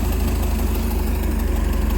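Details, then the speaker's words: 1987 Bayliner Capri, converted to Holley Super Sniper 2300 EFI, first run after setup: steady low even rumble with regular firing, no misses or knocking, running open loop without oxygen sensor; idle position possibly a little low but idling about where it should be. "but it's running an open loop with no oxygen sensor idle position sensors maybe a little low i might back that off a little bit more but it's idling right about where it should"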